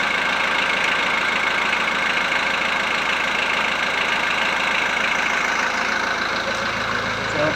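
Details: VW Transporter T4 1.9 TD after replacing worn cam followers, air box and timing belt cover refitted: steady diesel idle with even, soft rhythm and no sharp top-end tapping; cam follower rattle is gone.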